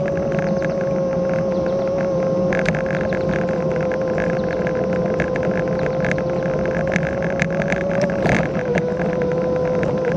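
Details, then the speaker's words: Kugoo S1 Pro electric scooter in third speed mode, camera mounted on front: steady fairly high whine at near-constant pitch over wind and road rumble; loud whining hub motor. "you might be able to hear that motor it whines a"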